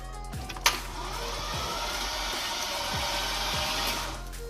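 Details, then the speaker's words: Silverado 5.3 V8 after bent-rod engine repair, first crank with no spark plugs and fuel pump relay removed: starter turns the engine over slowly and unevenly; battery sluggish, but the engine rotates. "all right just turn over a little slow battery's A little sluggish but she's turning over"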